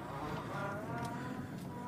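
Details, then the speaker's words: Brand-new 2016 Scion tC, manual, reversing barely on the gas: steady mid-pitched whine over the idling engine. Owner finds it annoying and says it was worse before the clutch was broken in. Reverse gear whine. "that was barely on the gas that wine gets so annoying it's a brand new car and believe it or not it was worse than that before the clutch was broken in"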